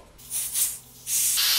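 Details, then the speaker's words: Old propane heater hose unthreaded and blown through with air: sharp bursts of air hiss rush straight through with nothing choking them; hose is open and good. "Oh, she's free. Yep, she's blowing, so that hose is good."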